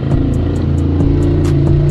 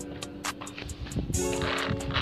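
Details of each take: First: Xinlehong 9125 RC car gearbox, tested before reassembly after cleaning rusty, dry gears and regreasing: motor spins the gearbox with steady whir and light even ticking about five per second, crackling gone; normal now. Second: Xinlehong 9125 RC car, stock, rear gearbox: dry crackling clicks about four per second over a motor whine rising in bursts; gears running dry, needing disassembly.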